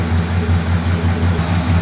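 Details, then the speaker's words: 1957 Ford Thunderbird V8 running the original carburetor with the lighter metering body, after flooding problems; a squirt of fuel was needed to start, hinting at a lean condition: cold idle swells and sags about twice a second. Surging idle, cause unconfirmed. "you can hear it coming and going can't you let me try it again yeah I didn't leave it quite so long that time"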